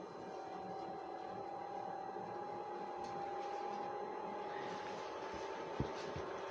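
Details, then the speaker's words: Chinese diesel parking heater after switch-off: soft, steady fan whir with a faint even tone holding pitch as it runs its normal cooldown. "there we go now it's cooling off"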